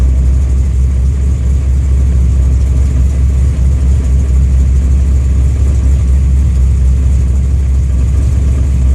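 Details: Warm engine on a newly installed FAST fuel injection system, floods when the throttle is touched, O2 reading about 10 to 11 air-fuel; a deep rumble that sags and wavers as if about to stall, running very rich.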